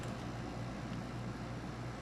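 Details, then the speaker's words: Older Windchaser PACR12 12000 BTU portable air conditioner (R22, made in China, undated), compressor on: steady low hum with even fan rush, no knocks, rattles or cycling; runs quite well, normal running. "Yeah, I've already run this. It runs quite well."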